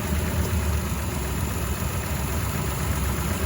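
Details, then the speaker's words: Mitsubishi Montero, not run for 1.5 years, possibly bad gas, idling: lumpy, uneven misfire; pulling plug boots on cylinders 1, 3 and 5/6 worsened it, but unplugging coil 6 smoothed it noticeably. "okay so that's coil number six it actually smoothed out quite a bit interesting"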